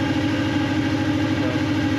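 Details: Honda B18C1 after in-frame rebuild, first start, header not yet connected (blown gasket): loud, uneven, lumpy idle with clatter; throttle position sensor out of adjustment, new TPS and calibration planned; previously would not idle.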